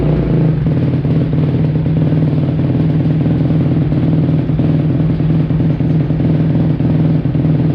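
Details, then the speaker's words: 2005 Kawasaki KX250F after carb clean and clogged pilot jet cleared, off choke: loud uneven single-cylinder run with clattery hunting beat that won't settle; owner wonders if too lean. "I it was not ready for no choke [Music] TR yikes wonder if it's too lean"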